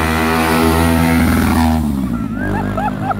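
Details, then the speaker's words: Ford Fiesta fitted with a Twister motorcycle engine and GRS exhaust passing flat-out on the rev limiter: high raspy note at constant pitch with rapid stuttering cuts about four per second, fading as it passes. "Passou limitando, mano, o bagulho doido. Eita, gota serena, passou limitando, mano."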